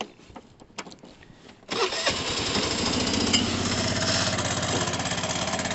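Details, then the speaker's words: Cheap road-legal 125cc Vespa-style scooter after rebuild, first start since the day before: catches after a few quiet seconds, then fast busy rattle over idle; typical clutch and roller rattle, normal, running and riding perfectly. "got your typical kind of clutch and roller rattle. That's quite normal on these bikes. It's nothing major. I wouldn't worry about it at all."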